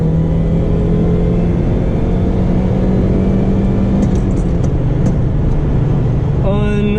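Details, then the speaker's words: 2004 Saturn Ion Redline, 2.0 L supercharged inline-4, about 230 hp, pulling hard from 2nd gear: loud engine with steady singing whine climbing with revs; normal supercharger whine. "Unbelievable. That sound. The supercharger whine is immense. Absolutely immense. It just sings. It's so raw."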